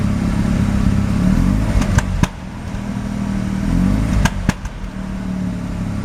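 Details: Mazda RX-7 rotary, extremely high CO (2.70), failed inspection: rough uneven idle stumbling and dropping out with sharp pops when throttle is touched; misfire on light throttle; no oil pressure; ignition leads measured; cause unknown.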